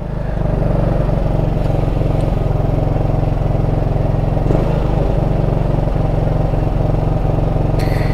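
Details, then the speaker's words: Chinese Rakuta 150cc CVT scooter on a test ride: steady low drone with an uneven, slightly lumpy beat; intake boot has holes letting in extra air, an intake air leak to be sealed. "yeah i think we definitely gotta obviously take care of that intake issue right"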